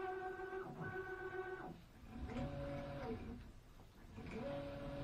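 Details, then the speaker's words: CNC machine stepper motors after full rewiring of moisture-corroded wires that caused jerky, wrong-direction motion: clean whine ramps up, holds steady, winds down with no stutter or chatter; running smoothly. "my wires and i had to rewire the whole machine but you know it's fixed now the airplane runs smooth"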